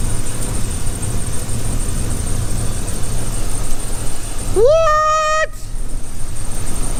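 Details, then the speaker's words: Truck with a P0300 code and a failed ignition coil, also leaking at the exhaust manifold donut gasket: low, lumpy idle with an uneven beat and stumbles; one cylinder misfiring from the dead coil. "so we need to do that and it's got a massive misfire so let uh let me show you [Music] hear that she sounds like [ __ ] boys"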